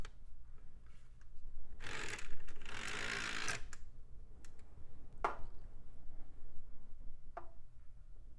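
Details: Optical drive in a mid-2000s budget system, its tray gears found dry, greased, and possibly worn. Brief whirring spin-up between scattered clicks and clunks, then nothing settles; it tries the disc but never reads it. Cause not confirmed.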